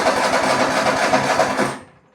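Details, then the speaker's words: Lawn mower being verified during repair, cranked without the choke: a short burst of rapid cranking chuffs that fades out without catching; it won't start unchoked but starts with the choke. "So to verify, we got no start when it's not"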